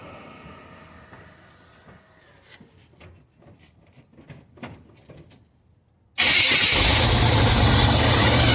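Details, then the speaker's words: 1985 Chevy C20 truck, carbureted V8, after transmission replacement and new muffler, cold start: clicks, then fires straight up into a steady, even, quiet cold run blowing some steam; choke now working. "It's cold. Yeah, man. Yeah, it's quiet now. Good. It's definitely blowing some steam in it. I think the choke's working now, dude."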